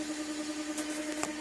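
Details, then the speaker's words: 2002 BMW X5 automatic, engine running, in drive or reverse: steady mid-pitched whine over quiet engine hum, stopping in neutral; vehicle won't move. "put it in D it to mix the whining noise I'm not going to try to move the vapor now in reverse reverse is wailing it won't go anywhere"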